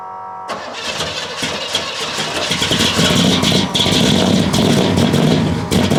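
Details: 1969 Buick Special Deluxe, 430 big-block V8 with big cam, first start after sitting over a year; cranks, catches and settles into a lumpy, loping, uneven run, super rich because the choke was left mechanically closed all the way.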